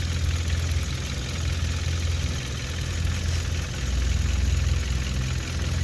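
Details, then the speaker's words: 2016 Hyundai Veloster Turbo GDI with DCT, fully warmed up after CRC intake valve cleaner treatment: steady idle with light, fast clatter over the low hum; normal direct-injection injector ticking. "all right idle seems pretty good i'd look in my rearview mirror but i got my sunscreen up keeping the car from getting all tore up still sounds like a radley tractor like all gdis"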